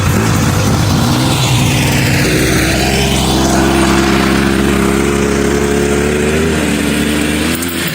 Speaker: Got it running and driving. It's not smoking as bad anymore either.